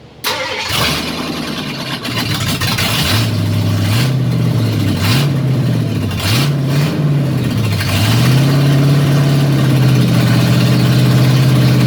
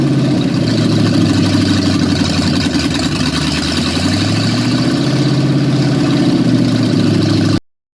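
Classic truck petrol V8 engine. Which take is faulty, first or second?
first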